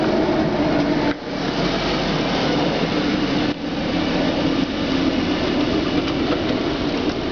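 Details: Honda Civic running with a steady gritty grinding rasp and two short dips; the source of the grinding noise is unclear.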